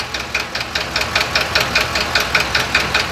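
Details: 2020 Ford F53 motorhome chassis, 7.3 V8 gasoline, P0301 misfire, knocking started while driving: quick sharp metallic ticking at idle, heard at cylinder 1; valvetrain fault suspected, valve cover to be removed.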